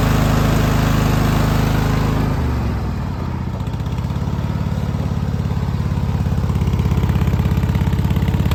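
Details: Cub Cadet LT1046 engine misfiring: a low, lumpy beat that stumbles and skips unevenly, the note dipping then recovering; misfire with cause not yet known.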